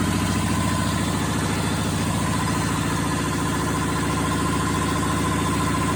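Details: Perkins two-cylinder diesel on a Power Pony, run after bleeding the fuel system at the injector pump with a new bleed banjo bolt and glow plugs used: steady chug with even low pulses, no misses or knocks; running cleanly.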